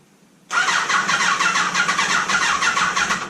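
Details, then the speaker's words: Neglected Kawasaki ZG1000 Concours spins over at an even, lively pace but never fires; spark seems present but no fuel reaches the carburetors, later found gelled up. "let's see if the carbs are getting fuel now no fuel down in the jacks we're done"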